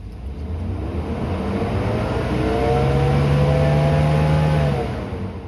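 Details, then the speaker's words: 2019 Ford F350 6.7 Powerstroke diesel, given a few revs after fuel filter changes to push remaining air out; climbs smoothly and settles back, with a steady cooling fan roar underneath, no misses; sounds healthy. "Alright. So I just give it a few revs. Make sure all the air is out of the system."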